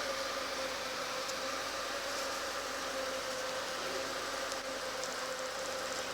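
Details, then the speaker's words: Car whose power steering whines and crunches on cold starts, now fully warmed up: smooth, even idle with a quiet steady hum and no knocks or rattles; normal warm idle. Owner plans to change the oil. "Ну вот машина прогрелась вот слышите всё работает как надо никаких посторонних звуков"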